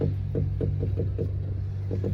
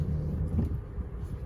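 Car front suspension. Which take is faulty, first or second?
first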